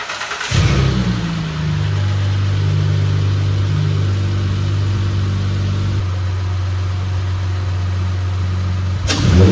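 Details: 2008 Acura MDX after installing 100,000-mile spark plugs, with less restrictive intake pipe and spacer; clean start, smooth even revving, crisp throttle response, exhaust note slightly changed; normal start and revving.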